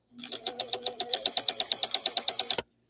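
Rapid, even clacking about eight beats a second while running, harsher than a healthy stitch; something inside is binding, cause unclear.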